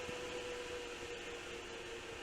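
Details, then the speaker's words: GPU cooling fans ramped to 100% PWM duty cycle from an oscilloscope signal generator: even, rushing airflow roar with a faint steady tone, no rattles or wobble; the fans run cleanly at full speed. "I'm changing the speed of the fence up to 100% Dy cycle here we go sounds like an"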